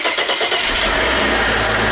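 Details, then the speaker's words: 1997 Audi, 2.8 V6, 145,000 miles, started after the temperature sensor/indicator switch was replaced to fix a dead temperature gauge: a quick crank, then it catches and settles into a steady, even idle with no knocks or misses; normal start and idle. "oh yeah how many miles on it 145,000 mil listen how good she sounds yeah 2.8 little V6 motor"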